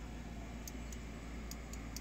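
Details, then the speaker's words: OMC Cobra / Volvo Penta SX engine bracket, ESA troubleshooting with multimeter attached: five crisp light clicks at uneven spacing over a low hum as the normally open interrupt switch actuates; normal switch clicking. "right here clicking just remember from prior videos this interrupts which is a normally open switch and then this over strokes which is a normally closed switch"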